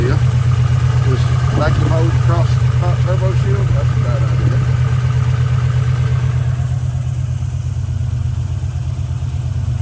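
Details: An abandoned one-owner 32,000-mile Buick Grand National turbo V6, revived with a new battery, idles with a steady, even low rumble and smooth beat, with no knocks or rattles. The idle is healthy.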